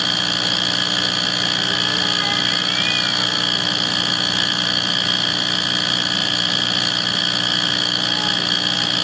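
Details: Wall furnace running: constant droning rumble with steady high ringing tones that never change or cycle off; source unclear. Rumbling drone.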